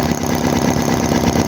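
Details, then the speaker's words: HOLT H75 Chinese model 4-cylinder engine with radiator, water pump and governor, warmed up: steady, even idle with a smooth rhythm, no knocks or misses, little smoke; normal warm idle. "oh my goodness that sounds happy now that it's warmed up"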